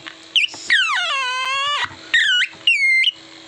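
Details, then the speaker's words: Old, dirty Philips transistor radio, board cleaned and powered by battery at switch-on: no proper sound, only whistles swooping in pitch and no station locking. The oscillator coil had been removed. "ഇതൊന്ന് on ആക്കി നോക്കാം ഒരു ശബ്ദവുമില്ല ചെറിയൊരു"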